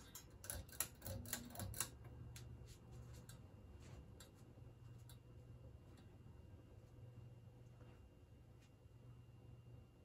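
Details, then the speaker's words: 52-inch GE AirCool ceiling fan, antique brass, original five-light kit, motor thought to be cast iron, on low speed: a few light clicks then a soft even hum; runs very well, bearings silent, normal. "runs very well the bearings are silent it's got a pretty decent sized motor inside"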